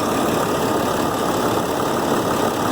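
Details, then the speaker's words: 2007 Ford F750 with a 5.9 Cummins diesel after replacing an injector to fix an engine miss: steady, even diesel clatter at idle with no skip, the check engine light stays off, and it returns cleanly off throttle. Normal idle. "yep you let off the throttle it sounds good it idles good pretty good to me"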